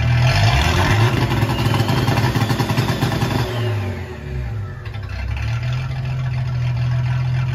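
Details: Ford 300 inline-six with newly finished turbo header, first fire-up, exhaust cutouts open: a loud open-exhaust rasp through a couple of blips, then it falls back to a steady, even idle. Normal, healthy exhaust sound.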